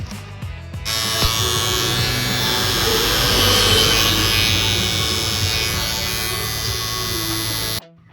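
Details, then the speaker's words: Barber's hair clipper motor running far louder than normal before the fix of opening the two top screws and fitting foam padding inside: loud, steady high buzz for about seven seconds with a harsh, rattly edge. "kita rapikan dan lanjut kita memperbaiki mesin yang bunyinya kuat ya, Teman-teman ya."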